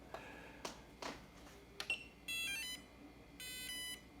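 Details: 3D-printed brushless electric motor newly wired to its electronic speed controller: a few clicks, then stepped tones and one longer steady beep; normal ESC power-up chime, though the motor then sticks and cannot break free.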